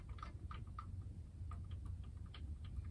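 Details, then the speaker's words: Irregular light clicks, about three per second, as a brand-new wireless-type top plate is moved horizontally in its slot in the distributor of a 1929 Ford Model A Tudor; owner suspects plate-slot play rather than shaft bushings. "it's actually [click.. click...] clicking as I'm moving it back and forth [horizontally].. and this is a brand new top plate.."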